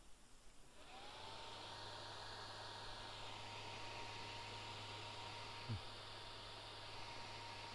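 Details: Gigabyte P4 Titan DDR motherboard after recapping and reseating the graphics card, analyzer card removed: a second after power-on the fans spin up to a steady, even whir over a low hum, no beeps; normal startup, picture displayed.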